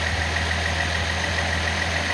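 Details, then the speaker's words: Nissan L28ET turbo inline-six petrol engine idling after a misfire was fixed with a new manifold gasket: smooth, steady, even low hum with all cylinders contributing in a power balance test; base timing still to set. "But they're all contributing now and it's running very smooth."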